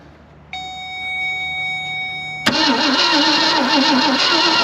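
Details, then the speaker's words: 1965 Ford Thunderbird sitting unused since 1986, first start attempt with starting fluid sprayed in intake: quiet, then a sudden rough, uneven catch wavering about three pulses a second; engine fires briefly on starting fluid only. "I'm going to spray some stuff in here just to see if it'll act like it's going to fire how about that"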